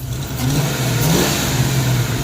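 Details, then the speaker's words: 1994 Mustang GT convertible on jumper cables, after adjusting the throttle body idle: a quick throttle blip climbs smoothly and drops back to a steady idle without stumbling or popping; clean free rev. "Wa! It almost sounds like an engine."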